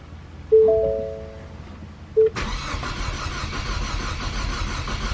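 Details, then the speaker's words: Big-turbo Ecoboost Mustang, fourth start attempt: two chimes, then a long crank that never fires, with fuel pressure at only 122 against the 1600 required; crank no-start from low fuel pressure. "see as you guys can see it requires 1600 pressure but we're only getting 122. [Music] fourth try man that sounds horrible too"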